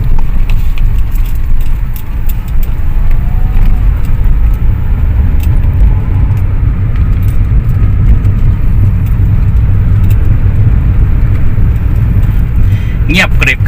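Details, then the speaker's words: Ford Fiesta on a road test after front shock absorber replacement; the old shocks had lost their oil and knocked. Now only a steady low road rumble with no knocks or clunks, so the suspension is quiet. "โอเคครับเรียบร้อยนะฮะถือว่าเรียบร้อยโอเคเลยนะฮะเงียบหมดแล้วนะครับ"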